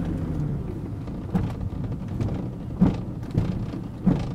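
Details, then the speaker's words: 2000 BMW 328i E46 braking at low speed: dull pops from the front end each time the brakes bite, with the car pulling to the side, apparently hard left. A front lower control arm bushing, believed failed, lets the arm shift; bushings to be replaced. "now I believe it's totally failed because I think we're getting a lot of lower control arm movement when I brake so I'm going to show you kind of what that looks like you hear popping"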